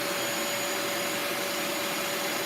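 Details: Bissell Lift-Off carpet shampooer during a suction test while spraying: steady, even high-pitched motor whine without wavering. A spray problem was first suspected, but suction is working and the motor runs normally.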